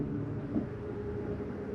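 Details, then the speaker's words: 2024 Flagstaff Superlite 26FKBS, slide number 1 extending: steady low motor drone with rough ratcheting buzz as the clutch override slips at full extension, signalling to release the button; normal, not a grinding gear. "That's the slide mechanism saying I'm all the way out, let go of the button."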